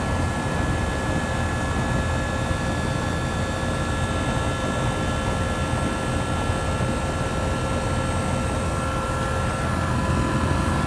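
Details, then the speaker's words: 2007 Rheem 1.5-ton air conditioner with reciprocating compressor, after startup as pressures stabilize: steady, even hum with constant tone, no knocks or rattles; normal steady running. "now listen to this monkey what a nice sounding reciprocating hot nice hot air"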